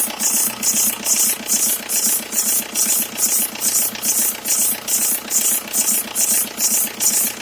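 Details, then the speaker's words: 2003 Jetta ALH TDI idling with the top timing belt cover removed; sharp high squeak pulsing about twice a second, an oscillating belt squeak; owner suspects the timing belt, not the serpentine belt, unconfirmed. "so if anyone has a heads up on on on what they've experienced with that sound wear the belts making that oscillating squeaking sound and post a comment"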